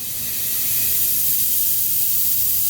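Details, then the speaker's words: Dodge Caliber SRT-4 intake system under a 10–15 psi boost leak test, engine off: loud steady high hiss of escaping air from an open port where a canister hose connects; boost leak found there. "Find my leak and see if that, look at that. Well, there it is, you guys. There's my leak."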